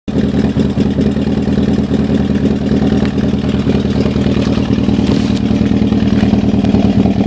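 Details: Toyota Celica ST202 at idle, lopes unevenly with a hard stumbling pulse about three beats a second; engine misfiring.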